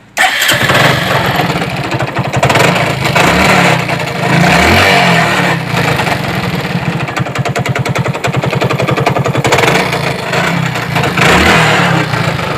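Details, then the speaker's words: Glamour motorcycle, engine rebuilt two years ago, faulty after another mechanic's work: uneven running with loud irregular knocking three to four per second over idle, heavy smoke; deep internal engine knock, cause unknown. "और engine से काफ़ी ज़्यादा खट खट की sound कर रही है। आप बिल्कुल गौर से सुनिए कि किस तरीके से आवाज़ कर रही है।"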